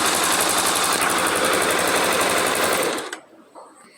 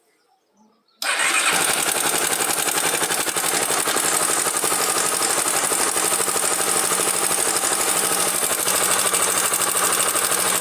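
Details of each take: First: Honda Twister motorcycle idling normally after a suspected cam chain noise was resolved with a simple procedure, without opening the cover: a steady, even patter with no chain rattle, then the engine is cut off. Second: Honda Twister single-cylinder motorcycle at idle with a dry metallic clatter like a chain; suspected slack cam chain because the cam chain tensioner may have failed and is not tensioning the chain.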